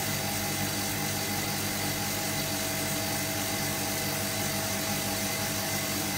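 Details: Hotpoint Supermatic De Luxe 9414 twin tub on its final spin after a warm rinse, new belts fitted: steady high whirr, smooth even drone, no slapping or squealing; normal spin.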